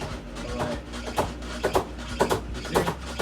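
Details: Samsung WA48H7400AW/A2 top-load washer on test spin, around 200 rpm and building: starts normal, then heavy thumps about twice a second with a hollow knock as the tub swings out and hits the cabinet; suspension rods suspected, not confirmed.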